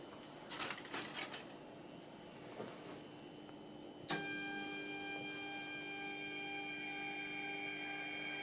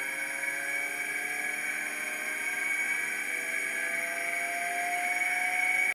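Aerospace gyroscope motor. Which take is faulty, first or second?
second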